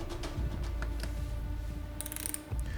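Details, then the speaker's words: Fix-It Sticks driver with a 15 in-lb torque limiter tightening scope ring screws: quick light ratcheting clicks as the head spins freely once the screw is tight; the limiter releases at its set torque. "upon achieving the torque load of 15 lbs inch, which is quite small load, you can hear the idle rotation of the head, preventing the overtightening of the scope's mounting screws."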